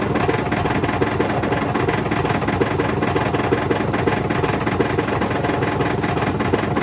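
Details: Hotpoint BHWMXL145 washing machine on a high test spin heading toward 1400 rpm: a loud, rough roar with constant rapid thumping from the drum, which is banging around because two spider arms have snapped.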